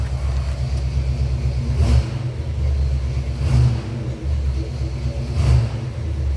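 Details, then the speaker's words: 1978 Ford Bronco V8. Timing is set at 14° idle and 38° full advance by about 2,800–3,000 rpm, with idle mixture screws two turns out. Three quick throttle blips rise and fall cleanly with no hesitation or bog: a clean free rev. "Yeah, there's no hesitation in this thing anymore."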